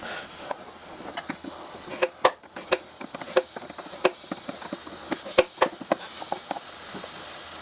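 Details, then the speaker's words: Land Rover Range Rover L322 front air-strut replacement: a steady high hiss as trapped residual pressure bleeds out of the air spring while the fitting is undone, with sharp tool clicks; the original-equipment Delphi shock gets pulled back up as pressure drops. "As the pressure goes, of course, it'll start to pull that shock back up in here."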